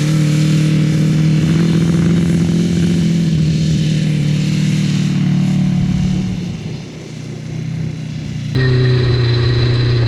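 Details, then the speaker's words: Honda CBR1000 engine in a home-built off-road buggy, after gearing and shifter fixes and repeated oil changes, driven in high range first gear. It pulls under throttle with a rough, raspy, uneven beat, dips at shut-off, then restarts; a miss is suspected and it seems down on power. "Does it feel like it has a miss or anything? It sounds like it's definitely not running right. It sounds like it has a miss, like it's It's definitely not running full power, but this thing is finally drivable."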